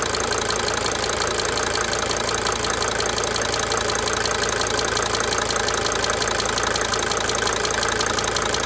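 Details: 1992 Mercedes-Benz 300D 2.5 turbo diesel idling steadily with a sharp, fairly regular injector tick riding over the clatter, fading in and out.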